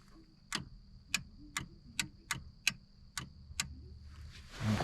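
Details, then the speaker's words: Salvaged Economy SPL26-60 scissor lift after rewiring: down circuit fails, and eight sharp clicks repeat about every half second over a faint hum as the down-valve solenoid tries to act. Emergency down works; cause suspected, not confirmed. "sounds like the solenoid is trying to do something so that solenoid probably pulls a valve"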